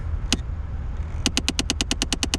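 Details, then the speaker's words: 2008 Chevrolet Impala, engine idling: behind the dash a second blend door actuator clicks, one click then a fast even run of light clicks; failing blend door actuator. "oh got a second one over here clicking we got two so far guys"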